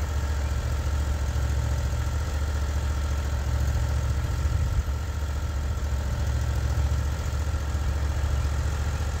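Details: Norwood HD36v2 sawmill with new roller guides (ceramic guides replaced), cutting black oak hardwood: a steady, even engine drone under cutting load with no knocks, squeals or hunting. The cut surface is exceptionally smooth; normal operation under load.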